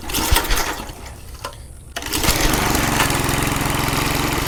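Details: McLane 20-inch reel mower after sitting 20+ years, governor and throttle working, air filter box missing: a few rough pulls, then it catches and settles into an even, steady putter; runs properly.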